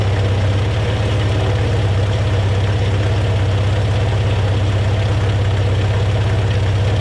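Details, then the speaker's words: Volvo B20 engine first start after years of sitting, fresh fuel in the tank and carb bowls, new O-rings: low, lumpy idle with an uneven beat around 170 a minute; not the healthiest but running rough, clear exhaust. "oh yeah all right that's enough i think woohoo not the healthiest of engines but it is running"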